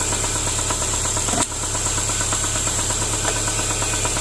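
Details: 2010 Subaru Impreza 2.5 non-turbo, 113,000 miles: engine run without oil, over 4 qts needed to reach dipstick, glittery oil; at idle a loose, irregular knock about twice a second over hiss, crank looks wobbly. Bottom-end knock from oil starvation.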